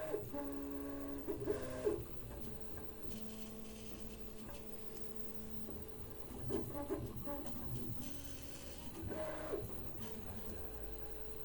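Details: Prusa MK3S+ 3D printer in stealth mode, linear rails and bearings freshly replaced and oiled: stepper tones shift with each move, broken by harsh rattling and grinding bursts every few seconds; calibration finds no faults and prints are fine; owner suspects wear.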